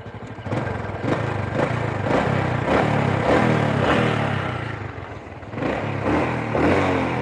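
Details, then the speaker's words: Supra motorcycle that was down on power and topping out at 100 km/h: after adjustment it pulls through smooth revs with no knocking "godok" noise, running normally; exhaust leak noted afterward. "kalau jalan rasanya sudah tidak ada suara Goro godok kodok gitu bro nah ini suara mesinnya agak sedikit"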